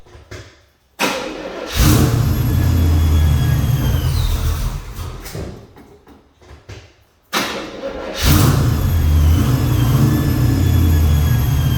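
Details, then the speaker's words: 1979 Pontiac Grand Prix G-body with a cammed engine cranks and catches twice, settling into a lumpy low idle with a thin high squeal over it. Owner suspects widespread vacuum leaks, the squeal coming from under the carb. "yeah pretty awful sound right pretty pretty darn awful sound I'm gonna start just replacing lines because there's leaks everywhere vacuum leaks everywhere and I think that squeal is coming from underneath the card"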